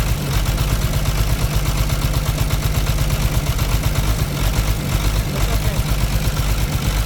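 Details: Caterpillar C13 diesel with heavy smoke, idling with valve cover off for injector testing: loud, deep idle with a lumpy, uneven beat about twice a second, one cylinder seemingly not pulling its weight. Suspected injector or rocker arm fault; misfire at idle.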